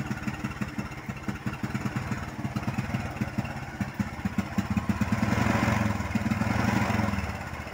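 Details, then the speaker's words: Honda Supra X 125 motorcycle, hesitating with unstable throttle, hard starting, stalling and high fuel use, on a spark plug about 5 days old. The small engine stutters unevenly, missing beats as the throttle opens, from a rich, flooding fuel mixture. "nah seperti ini masalah dari motor ini berebet tidak stabil mati-matian susah hidup"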